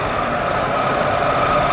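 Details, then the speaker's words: Model propeller in a cavitation tunnel as water speed is increased, during testing of a five-bladed design for an 18,000-container ship. Steady, dense hiss and crackle with faint whistling from propeller cavitation. "we up to it sounds noisy a little bit concerns maybe put on the stoplight we hear the cavitation and always tears"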